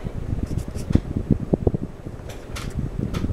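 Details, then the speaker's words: Mid-1980s Sears Kenmore/Lasko 52-inch five-blade ceiling fan, likely CEI motor, on high speed: soft low whoosh of strong airflow with gentle uneven blade pulse, no rattles or ticks; amazingly quiet, running normally. "now comes the high speed very powerful strong airflow from a fan that is amazingly quiet"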